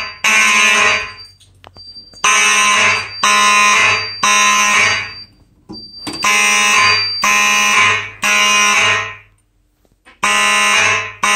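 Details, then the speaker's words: Simplex 4004 panel with Simplex 4903-9105/9101 horns set to code three: loud horn blasts in repeating groups of three with a clear pause between groups; normal temporal code 3 signal. "so i guess without further ado let's set the system off this will be on code three"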